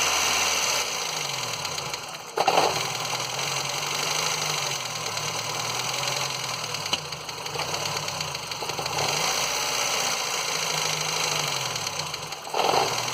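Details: Ford Fiesta Endura engine at idle: rough idle with wavering low drone, busy ticking clatter and periodic surges; owner asks why the engine makes this noise; cause unclear.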